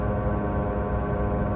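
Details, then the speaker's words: About 2008 Chevy Malibu driving at 100 km/h: steady droning howl under road noise that nearly goes away when swerving one way; badly worn front wheel bearing, possibly driver's side. "he driver's side this is a pretty bad bearing so i've been burned um on the bearing before diagnosing the wrong side due to this but um wouldn't be too surprised if bulls are making a little bit of noise so this one will be interesting to see um how it turns out but if you have a wheel bearing noise which is this howl"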